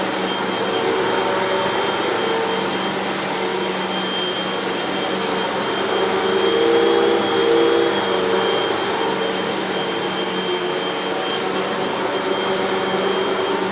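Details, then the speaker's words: Hoover WindTunnel 2 Whole House Elite after two new brushroll bearings, a new belt, heavy cleaning and three patched holes in the nozzle feed tube: steady, even motor whine with smooth airflow and no rattles or dips; running healthy. "and we have a machine that works just fine as far as i can tell let's take it for a test run"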